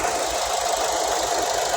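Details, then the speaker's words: 2007 Ford Escape idling with a regular low thumping stumble and faint rattle: a misfire from a weak injector. It has power and sprays but too weakly, and moving it to cylinder 3 moved the miss there. "nagbubuga naman siya e kaya lang bitin nabibitin to kaya siya nagmi-mispire kaya nasisira yung coil niyo dahil nabibitin to"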